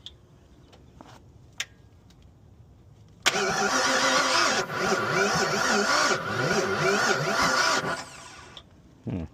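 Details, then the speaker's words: Owner-built Foxbody Mustang (heads, cam and intake, sat two years), very little spark: steady cranking at three to four beats a second for about five seconds never catches; crank, no start with ignition timing 180° out. "So, I just restabbed the timing. The timing was super off. So, timing is good now. Um, actually, the [snorts] second time I did it the first time, I was 180ed out."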